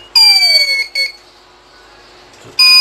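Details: TBE 2000W pure sine wave inverter under repair: a shrill, high electronic fault buzzer beeps in short bursts, stops, then comes back steady; the cause of the fault alarm is not identified.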